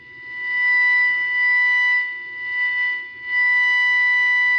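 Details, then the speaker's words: Five-transistor AM radio with poor sensitivity and motorboating. Its 2nd 455 kHz IF transformer was not resonant; a capacitor measuring about 137 pF was fitted. Signal generator at 455 kHz gives a clean, strong, steady whistle before alignment, showing much-improved sensitivity. "You can hear how much more sensitivity we already have. And again, I haven't even done the alignment."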